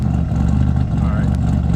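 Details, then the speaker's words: Car warming up at idle after RJC V-band exhaust gasket install: steady, even low rumble, no puffing, ticking or chuffing at joints; no more leaks, idles healthy and slightly better. "yeah but you know i like the way that sounds there's no more leaks you know she's far enough a little bit better"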